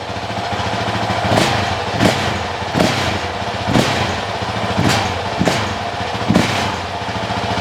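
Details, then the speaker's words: Honda CRF450X 2023 with only a thermostat delete kit, just fitted with a Vortex ECU on the stock-exhaust map (map 5): crisp single-cylinder idle with sharp throttle blips about every second, clean pickup, no rattle; normal idle and revving. "Well, she's running. She's alive again. Woo! Feels good, sounds good."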